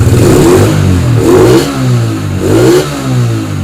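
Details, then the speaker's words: Yamaha Spark 135 with 60 mm ceramic cylinder and new carburettor, after rebuild: three clean throttle blips with loud hollow intake roar from an open stainless filter; engine healthy. "พร้อมใช้แล้วครับเสียงดีครับทั้งดูดทั้งพ่นนะครับเสียงดูดก็มีเสียงหน่อยเพราะว่าใส่กล่องเปลือยสแตนเลส"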